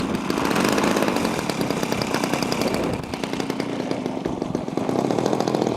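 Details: Small two-stroke engine, from an archive clip after repair, holds a steady, even buzzing run with no misfires or stumbles; it sounds healthy.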